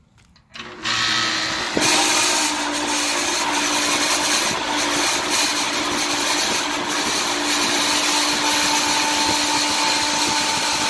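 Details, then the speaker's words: AC condensing unit run by manually engaging the contactor, bypassing the thermostat, with the panel removed; loud harsh screech and steady whine over the condenser fan from a worn fan motor bearing, fan motor to be replaced. "obviously you're going to be the bearing on the fam order so we're gonna have to go ahead and replace the fan motor"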